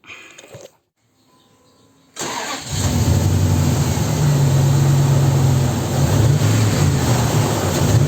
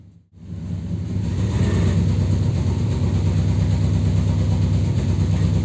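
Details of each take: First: 2002 Dodge Ram that misfired with a flashing check-engine light after an engine wash let water into the coil and spark plug wells, after drying: engine catches quickly and revs smoothly, light no longer flashing; normal start and rev. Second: 2002 Dodge Ram after engine wash, check-engine light flashing: deep uneven loping idle about three pulses a second with a blowing sound at the exhaust; cylinder misfire, likely water in the spark plug wells.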